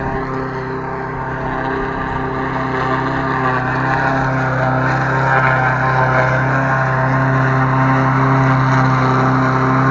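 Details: Lawn mower after repair: smooth, even engine drone holding a steady pitch for about ten seconds with no knocks or misses; runs fine.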